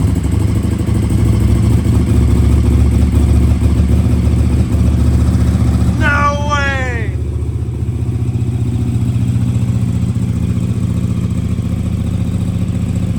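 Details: KTM RC8R swapped with a 2020+ 1290 Super Duke engine and electronics, first start after a crash and probably about two years unrun: lumpy but steady V-twin beat holding an even idle with a brief whoop; runs normally.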